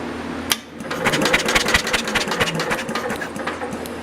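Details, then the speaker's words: Universal 2500 W generator unused 5 years, after cleaning ignition points with a points file: quick run of sharp ticking snaps as engine is pulled over by hand; spark now present, normal ignition. "You can probably hear it better than see it. I can't. But we got spark now."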